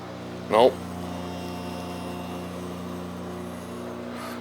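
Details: House water pipes make a steady low droning hum with several fixed tones, going on for months. It was thought to follow toilet flushing (fill valve or loose washer suspected) but continues with the washing machine off and fixtures shut. Cause unknown.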